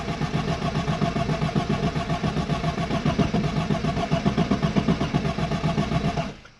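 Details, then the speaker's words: Arden 8 Port car whose cylinder 3 kept flooding, after injector cleaning and with a fuel leak noticed: steady even cranking at about four beats a second for six seconds, never firing once, then it stops. "it's not even firing i'll try again"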